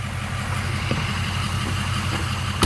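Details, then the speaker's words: Blue truck idling, compared with a misfiring flatbed: even steady low rumble with regular beat, no stumbles or misses, one brief clunk; normal idle. "okay now we'll go back to the blue truck now this one's a good run"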